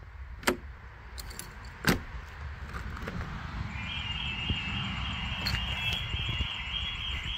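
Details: Home alarm test at night: the back door, fitted with a hidden magnet sensor, is opened. Latch click and jangling keys, then a steady high electronic tone as the alarm trips, with the smoke alarms acting as siren; alarm triggered normally.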